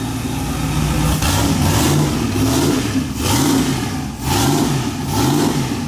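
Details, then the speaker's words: Mazda RX-7 on throttle blips: revs rise and fall with rough crackling pops on decel; backfires on revving, cause unknown, suspected tune set for Colorado or clogged injectors. "you couldn't hear it backfiring all hard oh i could hear it i don't know what it is"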